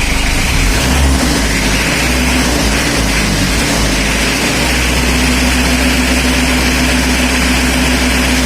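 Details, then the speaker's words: Mitsubishi L300 diesel before injection pump setting, revved: loud, dull, ragged note with a harsh crackle rather than a crisp one. Rough running from a misadjusted injection pump. "Ya empos tuh. Kenapa gua kempos? Karena ada suara krek gitu guys ya, bukan renyah serang atau wus gitu guys."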